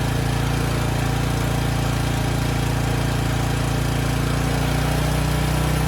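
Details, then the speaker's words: Briggs & Stratton Storm Responder generator (engine 21T212-0116-G1), formerly stuck at TDC with fuel flooding the crankcase, first run with governor spring tension backed off: a steady, even, slow hum with no misses or knocks. It makes power; initial smoke burned off. Normal running. "okay that's all i wanted to see it makes power the engine sounds good it was smoking a bit but that burned off after a few minutes"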